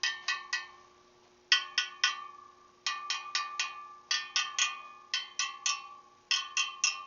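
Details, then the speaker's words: Motorcycle wheel being trued after respoking: spokes tapped in groups of three or four, each ringing the same clear high note, after an earlier loose spoke sounded lower; the spokes are evenly tensioned. "And those all sound the same to me."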